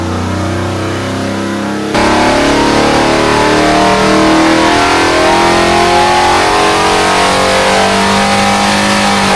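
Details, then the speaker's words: 426 Hemi V8 on a dyno, rebuilt after a holed piston, good oil pressure, carb secondaries open, rich mixture, during a timing test: strong even roar rising steadily in pitch with no rattles or pings; clean under load. "P this time no I didn't hear any noises now we get advancing now"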